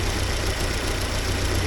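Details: 1979 Porsche 924 four-cylinder after timing belt repair with retensioned belt and spacers: short smooth, even idle with no whirring or slapping from the belt; engine sounds settled.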